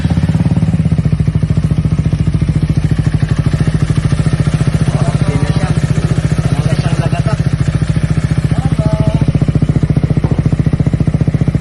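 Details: Motorcycle engine after disassembly and adjustment, fuel tank refitted to test whether the noise remains: steady, even low idle thrum with no loud knocking or clatter.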